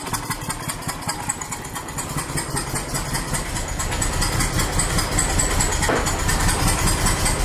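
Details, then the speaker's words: 1999 BMW E46 323i M52TU idling in neutral with the cylinder 2 spark plug blown out and threads stripped: uneven idle with irregular sharp pops, new behavior; owner unsure, hopes they are backfires. "i don't know what the popping sounds are it might be backfires at least i'm hoping that's what they are"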